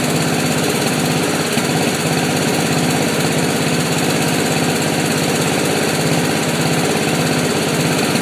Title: Misfiring mower